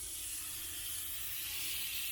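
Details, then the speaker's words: 1989 Ford F-150 4.9L straight-six, severely overheated, now with a dead miss. Cylinder 1 leak-down test gives a steady hiss of air out both intake and exhaust; the cylinder holds no pressure and is leaking past the valves, so the head comes off. "i mean it's not it's not holding anything um so so i'm not sure um i don't know i it sounds to me just like one cylinder"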